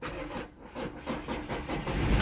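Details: Mazda BT-50 with no-crank no-start caused by loose immobilizer antenna ring losing contact with key transponder; starter turns in quick even beats, engine catches and settles to a steady idle; clean start.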